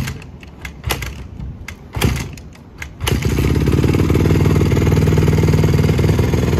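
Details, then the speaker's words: 2007 Honda CRF150R four-stroke single with a new OEM carb, started cold: a few failed kicks, then it catches into a steady thumping idle of about four beats a second. Runs fine at idle but bogs and dies on throttle. "that's really the the really only product cause it sounds good that's the only problem you know yeah like so when you touch it you need to like respond right you"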